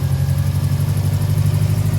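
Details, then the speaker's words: Newly bought cheap Subaru boxer project car with Turbo XS top-mount intercooler and Grimspeed-style downpipe, still drivable: lumpy idle, shakes badly, fast loud tick beyond usual Subaru tick; rough idle, cause unclear. "And that really loud ticking, like I know these Subarus tend to be a little loud and they do tick."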